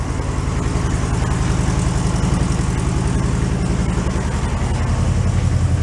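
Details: 1968 VW Beetle barn find, air-cooled, sat 5 years, old gas: even steady low idle chug with regular exhaust pulse, no misses or knocks, charge and oil lights out; normal idle.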